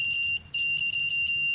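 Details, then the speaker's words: Microphone repair, multitester buzzer across the mic with its switch off: steady high beep, briefly broken then resuming; continuity is normal because the off switch shorts the coil by design. "buzzernya bunyi, karena pada prinsipnya mikrofon ketika off adalah menghubung singkatkan bagian spool."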